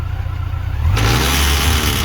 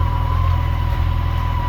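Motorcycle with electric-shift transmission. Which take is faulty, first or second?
first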